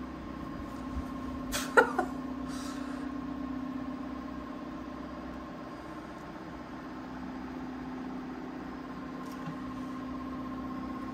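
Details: Anycubic Wash and Cure 2.0 in cure mode after a lid fix (lid lifted slightly to leave a small back gap for the IR lid sensor, ending the endless beeping): lid clicks, then low steady hum with faint higher tone; curing normally.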